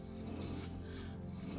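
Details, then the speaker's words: Renault Clio 1.2, jacked up with the wheel off, rear drum turned by hand: low gritty, grungy rumble from a worn rear wheel bearing that failed its MOT, before replacement. "It's a bit of a grungy noise, and that's the reason why we've got to do this wheel bearing."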